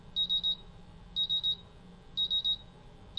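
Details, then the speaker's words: MultiRAE gas detector during a bump test, CO and H2S sensors in low alarm; shrill triple beeps repeat once a second; low gas alarm. "So now the CO sensor is in a low alarm and the H2S sensor is in a low alarm."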